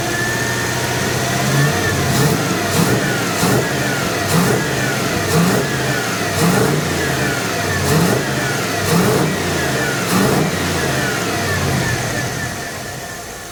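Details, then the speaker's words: 5.9L Magnum V8 (1980 Dodge W200, Holley 600 cfm, idle mixture reset, about 20 in vacuum) blipping crisply into the secondaries and back to steady idle with no bog; mid-RPM bog gone. "that was getting into the secondaries and it seems to be doing all right I think I wanted take it out and road test it now"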